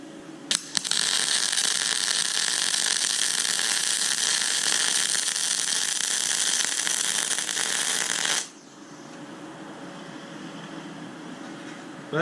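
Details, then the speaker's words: YesWelder Firstess MP200 MIG welding maxed at 200 amps and full voltage, without independent wire-speed control: about eight seconds of steady, even frying crackle with no pops, a hot, stable arc. "wasn't bad as you can see it's pretty hot but she's got some beans up there"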